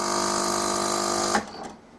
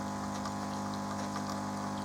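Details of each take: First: Melitta Caffeo CI coffee machine heats then attempts rinse: steady buzzing pump hum for about a second then cuts off, no water delivered, Start System cycles again; pressure suspected not to be building in the system. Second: Melitta Caffeo CI coffee machine after repair; it had previously hummed and looped on system start without rinsing. Now the pump gives a steady buzzing hum with water flowing, no stutter or strain, while brewing coffee. Normal pump operation.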